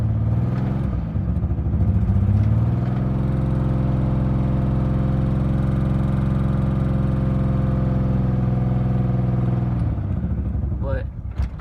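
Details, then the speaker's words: Nissan 300ZX with a misfire: runs slightly unevenly while throttle is held, then stalls within seconds once the foot comes off; gas smell noted. Previous owner suggested the fuel dampener; cause unconfirmed. "idle a little bit and then if I get my foot off the clutch it just dies out see let's try it again but keep gas and on it it stays on"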